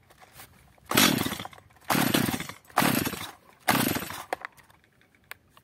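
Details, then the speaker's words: Stihl MS 230 chainsaw that runs unstably and stalls, possibly previously repaired, being warmed up during carburetor adjustment. Four short revving bursts each fade within a second before it dies; the low-speed L mixture screw was reset by half a turn. "Jak widzimy pilarka pracuje lepiej jednak gaśnie wracamy do regulacji wkręt L Został cofnięty O półobrotu czyli wkręcony"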